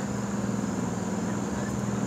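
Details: Early 1970s Sears Coldspot Viewsaver air conditioner: steady low compressor hum with constant fan hiss, even with no rattles or knocks; blows cold, iced slightly at the bottom, running fine.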